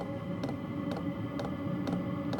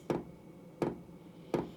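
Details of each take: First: Cheap eBay diesel heater on the bench during first startup test: crisp fuel pump ticks about twice a second over steady fan hum, speeding up as ignition catches and diesel burns; normal fuel pump ticking during startup. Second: Cheap eBay diesel heater on the bench, first run, still cold: sharp single ticks about every 0.7 seconds as the dosing pump clicks fuel through, possibly while the glow plug warms; heater later failed to run properly.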